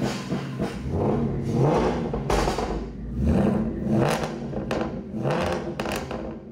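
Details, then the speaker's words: Supercharged Ford Mustang RTR, Coyote 5.0 Gen 3 V8, salvage car with the intercooler heat exchanger bypassed, not yet warm: clean crisp blips with a faint supercharger whistle and no direct-injection tick; healthy, normal revving. "Ich muss sagen, das ist eines der am besten klingenden Autos, die es in der Werkstatt gibt, vielleicht eines der Top 5 überhaupt, nicht einmal nur Mustangs I Ich liebe die Art und Weise, wie dieses Ding klingt."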